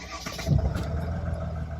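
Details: High-mileage auction car at 448,835 miles: brief cranking catches into a smooth, steady low idle with no knocks or misses, and the owner says it sounds sweet; the engine starts and runs healthy.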